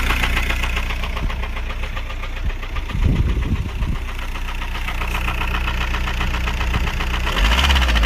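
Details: VW Golf 4 TDI 116 hp AJM diesel idling with a deep, regular knock three to four times a second; cause was rod bearing failure, ended with a new engine.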